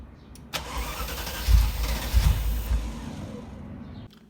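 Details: 1987 Ferrari Mondial 3.2, cold start after reinstalling the oil low pressure switch: starter cranks about three seconds with ragged, uneven firing that never settles into idle; cold start injector not energized due to a disconnected starter-switch wire.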